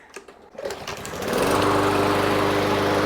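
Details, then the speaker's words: Briggs & Stratton 550EX engine on a 21-inch Yard Machines mower, after carburetor cleaning and refilling with ethanol-free gas: a few pulls, then it catches and settles into a steady, even buzzing run with no misses or surging; normal running. "Look at that. That runs smooth too. Sounds great to me. Perfect."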